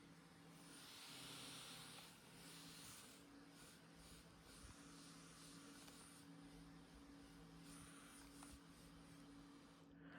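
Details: AYN Odin 3 handheld cooling fan after a drop of lube inside the fan motor, running at sport speed: soft steady airy hiss with the former buzzing, grinding noise gone.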